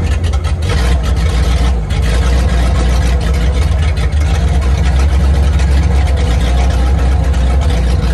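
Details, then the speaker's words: 1950 Ford flatbed dump truck, flathead V8, sitting about 40 years, idling on its carburetor after fuel system hookup; deep, heavy, even rumble, no tapping or stumbling, runs like new, cooling system needs work: normal idle. "Engine runs like brand new. The carburetor even works, which is surprising."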